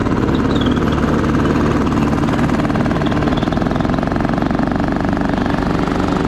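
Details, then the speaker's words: Craftsman T1200 riding mower, single-cylinder engine thumping loudly and unevenly, beats hesitating and bunching; it runs, drives and cuts but runs rough from suspected tight valves; valve adjustment planned. "I think I'm gonna go ahead and start looking up the specs on this maybe we'll pop this valve cover off try to do a valve adjustment on it"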